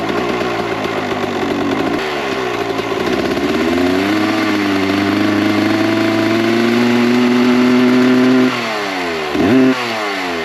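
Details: 1998 Kawasaki KX125 two-stroke on its rebuilt OEM carb with stock jetting, believed to be 42 pilot / 160 main: blips and holds mid revs with a burbly, uneven note that falls back lazily, smoky; too rich, so jets go down to 38/158.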